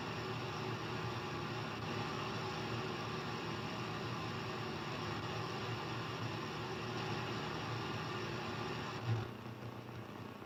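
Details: HF radio receiver: strange noise across the entire HF range except the amateur bands, a steady hiss with faint fixed tones that drops slightly near the end; interference of unknown origin.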